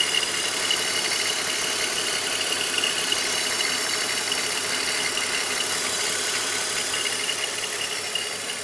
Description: this is the noise my 2006 X3 is making at idle